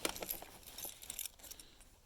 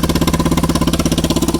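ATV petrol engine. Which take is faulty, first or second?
second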